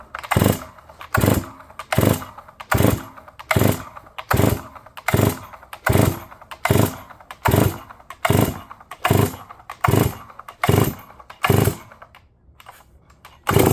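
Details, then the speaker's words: New Holzfforma G366 Pro chainsaw, first startup: surges in uneven bursts about every 0.8 seconds instead of a steady run, rich mixture suspected; owner says it smoothed out after a few more minutes. "And as you can hear, guys, she starts up and runs pretty good. Initially, in the first start clip, she was definitely a little grumpy."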